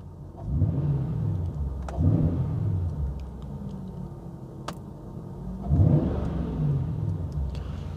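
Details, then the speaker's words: Jaguar XK engine idling, then two clean throttle blips dropping back quickly without stumble; the recently fitted oxygen sensor switches with exhaust oxygen change and settles at idle, confirming it works properly. "So there you go, look, it's sensing the oxygen change in the exhaust. So we're back at idle now, so you can see that it's settled down."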